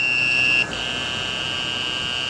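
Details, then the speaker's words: Lead-acid battery being restored, powering an inverter running a fan, with voltage dropping from 11 to just under 10 volts. A continuous high-pitched buzz dips briefly, then holds under load as the inverter slows; a low-battery alarm. "Hooked up to the inverter, I have this old piece of shit fan, which I'm going to turn on right now. And you can hear the inverter motor slowing down, plus an alarm going off."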